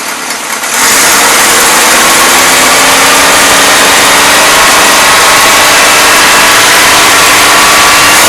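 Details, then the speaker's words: 1977 Toyota Celica, Weber carburetor, cold: loud, ragged blare with a wavering note and no clean idle; carb loading up rich, cause unknown, even with mixture screw fully in; no blow-by. "there we have it i'm not sure why the carburetor is loading up but then again you know i knew it was junk"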